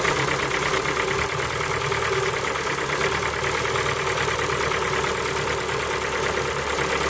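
Fast, light ticking knock running over a steady cold idle, evenly spaced and constant; a cold-start knock, cause not yet pinned down. Cause suspected, not confirmed.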